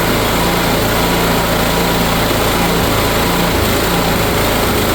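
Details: Kohler engine on a Cub Cadet mower, sat for years with a mouse nest, after carburetor cleaning, fresh fuel and temporary patches: steady even buzz, constant pitch, no misses or knocks; normal running.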